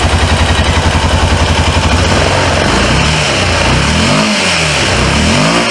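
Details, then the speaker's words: 2005 Honda Rincon 650 (TRX650FA) ATV, abandoned over supposed carburetor issues, running off a boost pad due to a bad battery: even idle then clean rising and falling revs, no knocks or misses; runs healthy. "running it off of the Boost Pad but just listen to it though I told you the ugly ones be the ones that run good"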